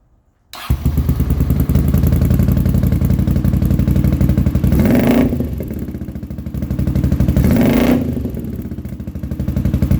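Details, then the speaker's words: 40-year-old Honda GL500 motorcycle just revived after restoring old carb float needles; engine fires and runs lumpy, revs sagging and recovering, uneven as if lean. Not running right; owner suspects pod air filters and has ordered new carb jets. "I've ordered new jets for the carbs because it's not running quite right and I believe it's because I've got the Pod air filters on there"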